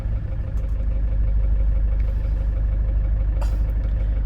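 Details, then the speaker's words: Hyundai Starex GRX diesel after instrument panel gauge replacement: steady even idle, no fuel-knock-like noise that occurred with the old gauge when brake and fuel sedimenter lights blinked; smooth at any RPM, normal idle. "Pero ngayon, kahit anong RPM, walang fuel knock ngayon. Smooth na smooth"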